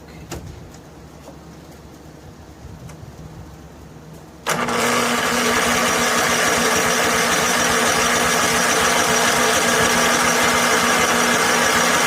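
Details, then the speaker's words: Snapper SR1433 rear-engine rider, sat 8 years, old fuel in tank, gravity feed, full choke: fast steady cranking about 3.5 turns a second that never catches; carburetor not getting fuel, fuel starvation. "Come on, pick up and run there, buddy. Trying to figure out why it's not getting fuel in the carburetor."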